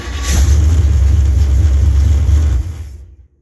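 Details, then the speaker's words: 1968 Camaro, rebuilt .060-over 327 V8 with a lumpy performance cam, Edelbrock 750 carb and intake, HEI distributor: deep, heavy rumble with a slightly choppy cam beat, running strong and even, vibrating the ground. "that thing runs really really good it's got a pretty good cam in it too sitting there vibrating and vibrating the ground"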